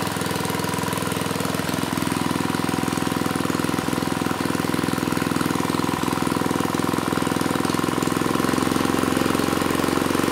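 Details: Mid-1980s Troy-Bilt Junior tiller, 3 hp Tecumseh HS35 engine (H35-45593R), after carburetor cleaning; pilot needle tuned, idle lowered to about 1,000 RPM. Steady, even single-cylinder putter, no misses, stumbles or hunting; normal settled idle.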